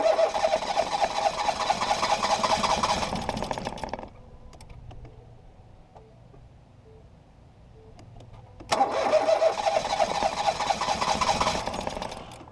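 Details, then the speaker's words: 2018 Ford Focus SE parts car with suspected water in a cylinder, plugs back in after clearing fuel-smelling fluid; two bursts of steady cranking about three turns a second with no catch; owner suspects a drained battery; engine-fault warning shown. "it's trying but oh it's not trying anymore maybe I killed the battery too much"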